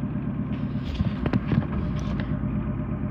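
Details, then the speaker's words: 2015 Whirlpool Cabrio washer set to High (normally 850 rpm), final spin after being paused mid-cycle only runs low speed; steady low drum hum with soft thumps never climbing to high-speed whine. Cause unknown, owner asks for help. "see it ramped back up but now it's only doing low speed spin i have it set on h i g h high whirlpool so"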